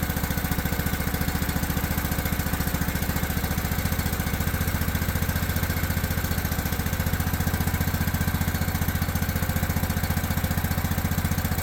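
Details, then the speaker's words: Old abandoned Craftsman riding mower after its carburetor was cleaned with carb cleaner and refitted: low pulsing thump at steady idle, about four beats a second, slightly uneven lope; still running rough. Oil later found runny, likely gas-diluted; valves checked next. "Still not liking something."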